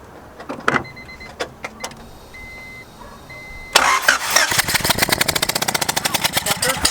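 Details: Honda EK with JDM B20B engine swap at first start attempt; a few chimes and clicks, then steady rhythmic starter cranking that speeds up slightly but never catches, spark later confirmed; cranks but no start.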